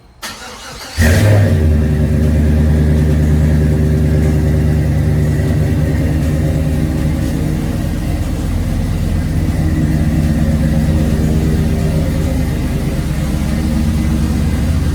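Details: Cold start by remote start, first start since pickup; quick crank and catch, then a strong, even, steady idle with no knocks or misses, a clean, healthy cold start.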